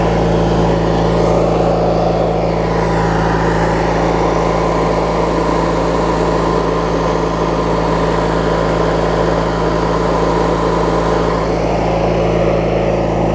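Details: Craftsman LT1000 riding mower with a swapped-in opposed-twin engine, left running; steady, even idle with smooth low hum and no knocks or misses; opposed twin running healthy, normal idle.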